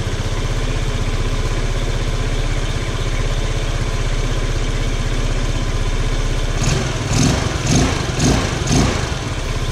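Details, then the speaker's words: 150cc GY6 scooter running as it should: steady even putter at idle, then four or five quick clean throttle blips that pick up and drop back smoothly; normal idle and revving, no smoke. "i'll go ahead and start it up for you so you can hear what it sounds like when how it's really supposed to sound and how easily it starts up"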